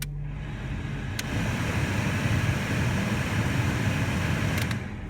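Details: Car cabin blower motor after broken plastic pieces were removed. Those pieces had caused a loud vibration under the passenger-side dashboard with the AC on high. Now it gives a smooth, steady fan rush and low hum with no rattle or vibration.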